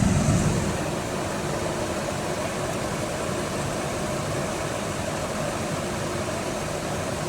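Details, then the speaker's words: 2005 Chevy 2500HD after blower motor, blower motor resistor and driver-side blend door actuator replacement (previously noisy, only speed 5 worked): smooth steady air rush over quiet idle, no rattle or scraping; all five speeds work, racket gone. "the blower is not making all the racket it was before so that at least tells me that that's working well"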